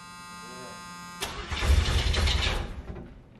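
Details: 1980 Oldsmobile Cutlass after sitting almost two years, battery possibly weak: starter churns the engine for about a second and a half, uneven turning, but it never catches; cranks but no start, cause unconfirmed.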